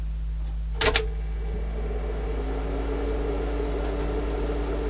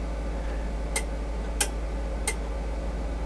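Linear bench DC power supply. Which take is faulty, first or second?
first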